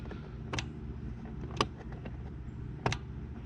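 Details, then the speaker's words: Cub Cadet riding mower with a swapped-in engine, battery and fuel connected before the first start: three crisp clicks about a second apart; the fuel solenoid is clicking as it should. "got the battery hooked up got the fuel hooked up let's make sure the fuel solenoid"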